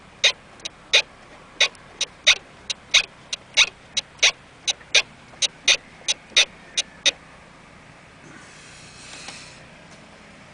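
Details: Volvo S60/V70 (P2 platform, 2001–2009) while turning the steering wheel: sharp, uneven creaking pops and metallic clunks, about two or three a second, from a worn strut top-mount bearing.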